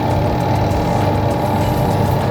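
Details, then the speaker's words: Two-tub washing machine, newly replaced spin-dryer motor, tested after rewiring with connections sealed in plastic: steady even hum with constant whir, no grinding, knocking or wobble; new motor runs smoothly, normal. "Suaranya halus karena memang dinamonya halus."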